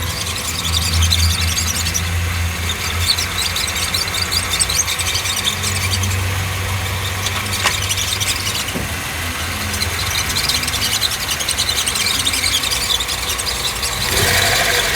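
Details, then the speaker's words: Hyundai Tucson at idle with clutch pedal pressed: hissing, squealing bearing whir, started three to four days earlier; clutch release bearing suspected, not confirmed, before gearbox removal. "Pode instalar no carro ele ligou ela e ele vai pisar no pedal de embreagem que vai acompanhar aqui para ver o ruídos vai fazer pegar logo"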